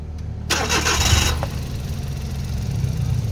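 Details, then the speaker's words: Suzuki DA64W K6A engine with fault code P0008, after replacing the timing chain, chain guide and tensioner: a quick crank catches promptly and settles into a steady, very smooth idle without rattles or stumbling; the rescan then shows no fault code. "So ayan po mga kalbularyo, pansin natin ngayon na sobrang smooth na talaga ang andar ng makina."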